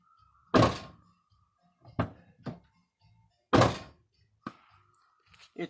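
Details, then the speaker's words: 2006 Buick Rendezvous, left rear door: a tinny rattle from loose trim retainers along the top of the door cladding as the door closes, heard from outside the vehicle. "It's a tinny noise. You'll notice when the door is closing. You really don't notice it from the interior of the vehicle. But it's annoying as heck from the outside."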